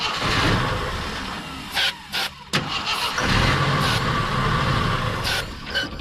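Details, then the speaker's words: 42-year-old army Jeep not started since 2009, on starter fluid: short cranking bursts with pauses, briefly burning the fluid but never running; cranks but won't start, owner suspects an empty tank or stale gas, carb not getting fuel. "that was promising first try just basically burnt the starter fluid but let's give it another whirl"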